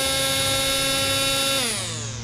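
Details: Corded electric string trimmer: a steady high motor whine holds even, then slides smoothly down in pitch as it coasts off. The trimmer runs normally.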